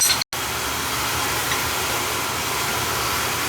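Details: Oil boiler that was tripping on safety reset, its oil pump found bad internally: steady even hiss-like roar with low rumble, no pulsing or cutting out; burner firing and running normally after the fix.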